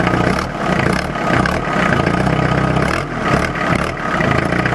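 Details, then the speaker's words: Renault Master 2 2.5D L2H2 van: diesel clatter swells and drops with quick throttle blips, revs climbing and falling back cleanly without hesitation; normal, responsive throttle. "il est réactif he en tout cas."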